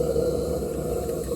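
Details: Maxitrak 1.5-inch Allchin model steam locomotive 'Merlin', gas-fired, first steaming, warming up: after adjusting the burner so it burns back at the holes, a steady, even roar with no popping or flutter, burning cleanly.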